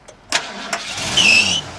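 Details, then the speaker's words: 1979 Ford F-150 4x4 with a rebuilt 460 V8, MSD distributor and electric fans, sat a while and was just steam cleaned: sharp belt squeal on startup that fades within half a second; steam cleaning may have made the belt squeaky, to be replaced if needed. "belt squeal there grip it up again here and we did a little steam cleaning so I might make that felt a little squeaky but we'll put one on there if it needs it"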